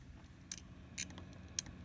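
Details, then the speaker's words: Failing hard drive in an HP desktop PC during the BIOS diagnostics hard drive test, which reports failure. Faint sharp clicks come about every half second over a low hum as the heads click. "did you hear the sound see the miss the hard drive is bad okay and right here look not even the program it works but but the hard drive failed okay"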